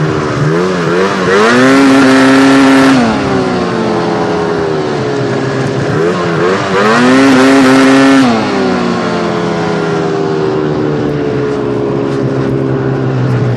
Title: XRS weird noise.